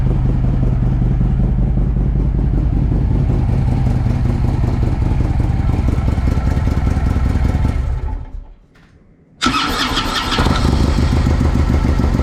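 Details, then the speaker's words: Harley-Davidson Ultra (2007/2009) after starter motor and compensator work: strong steady cranking, brief pause, then the V-twin catches cleanly into an even lumpy idle; starter working properly, normal cranking and start. "So job done. Pretty pleased with that."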